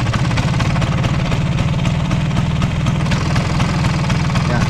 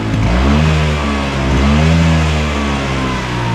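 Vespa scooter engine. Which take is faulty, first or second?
first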